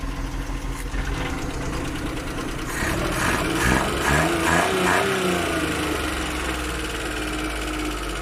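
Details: Suzuki F6 engine with hard starting, carburetor suspected: small petrol engine idles with an uneven, stumbling beat around two per second and a wavering hum, a misfiring rough idle; cause not confirmed.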